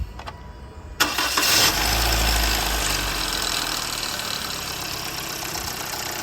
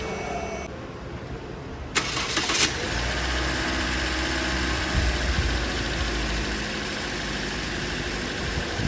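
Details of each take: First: Toyota Corolla before timing chain tensioner replacement, old tensioner stuck/jammed: engine cranks and catches, clattery metallic rattle over idle at start-up and when revved; timing chain tensioner rattle. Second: Toyota Corolla engine after timing chain tensioner replacement to cure an engine noise: catches at two seconds and settles into a smooth, even idle with no ticking or rattle, sounding normal.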